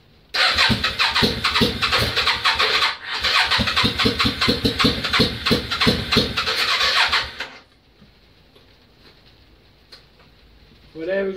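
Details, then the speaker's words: Yamaha Virago XV535, first start in months, on choke: rapid rhythmic cranking about seven seconds with loud chuffing, catches then cuts out to near silence, fuel pump not kicking; engine runs briefly and dies, owner suspects out of fuel. "It kicked up. It's out of fuel. As you can hear, fuel pump's not even kicking. So, it's our fuel."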